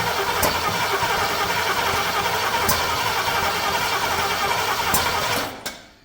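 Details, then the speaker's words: C30 engine on first start attempts, run with no coolant: rough cranking with sharp pops back through the intake, then it dies. Owner suspects the ignition timing may be 180° out. "we're coming back through the take a little bit I hope we're not 180 out"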